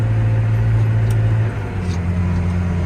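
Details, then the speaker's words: John Deere tractor at 8.4 mph, shifted from 12th up to 13th gear across a clutch pack: deep diesel drone sags and strains under load; engine lugging, needs the lower gear. "you can hear, the engine is not having it, or the tractor. So I need to come back and shift on the other clutch pack."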